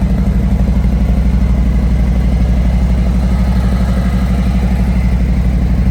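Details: 2018 Harley-Davidson Road Glide Special Milwaukee-Eight, stock before cam, exhaust and intake upgrades: even loping twin idle with steady deep beats about three a second, no knocks or rattles; a healthy stock engine.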